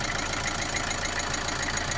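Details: Opel Astra J 1.7 CDTI diesel after oil change: steady idle with sharp, evenly spaced knock on every beat above clatter, with vibration; runs good, no smoke; source unknown.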